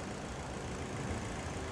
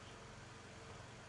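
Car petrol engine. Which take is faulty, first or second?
first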